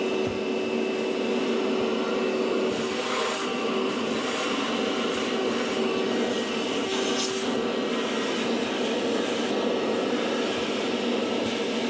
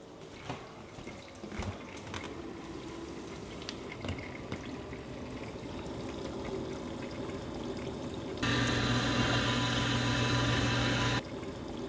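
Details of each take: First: Maytag MDB9959SKZ dishwasher, about four years old, has grown louder over time; during the wash/recirculation cycle there is a constant rough grindy whirring and steady whine from under the tub; worn pump assembly, fixed by replacing part W11416363. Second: Maytag MDB9959SKZ dishwasher, about four years old, after replacing the grinding pump assembly W11416363: wash cycle with steady water swishing and spray drumming on the door, no grinding or pump whine, much quieter; normal wash cycle.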